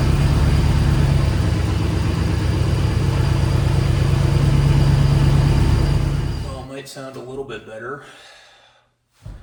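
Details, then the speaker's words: 1994 Chevy C3500 dually with an LQ4 LS swap: a deep, lumpy V8 idle with an uneven loping beat, then it shuts off. Rough running; the engine is not running right and the cause is unknown. "Still sounds bad cuz it's not running right, but try to get it out of my dad's shop, I guess."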